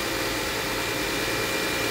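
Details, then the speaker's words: Mercedes-Benz ML350 at idle after repair, settling to lower idle with a little rev: even, steady idle; the whine like a failing power steering pump, worst at high revs on first start-up, is totally gone. "it's only been a few seconds but it's settled itself down now and if i give it a little rev that noise is totally gone now"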